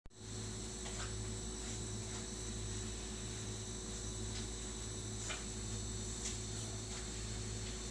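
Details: New Sears Kenmore 51833 refrigerator: steady low hum with faint ticking and a thin high whine, running louder than it should; noisy compressor suspected, not confirmed.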